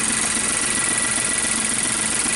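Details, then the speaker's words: 2016 Nissan Note 1.2 supercharged, check light flashing, losing power and stalling, code P0302: heard at the tailpipe, the idle lopes unevenly over exhaust hiss, confirming a misfire. "so what I like to do is go to the muffler sound okay so it definitely sounds like a misfire"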